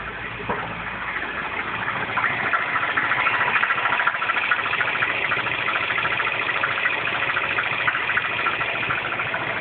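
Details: R56 Mini Cooper S engine on cold start in cold, wet conditions: steady ticking about three or four per second over the engine hum at cold idle, abnormal noise; cause not stated.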